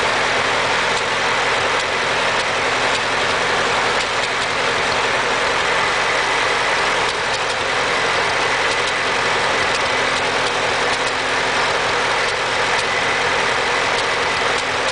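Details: Ford 8N tractor petrol engine idling with an uneven beat, occasionally skipping a firing stroke; misfire of unknown cause, owner unsure whether carburettor or distributor is to blame.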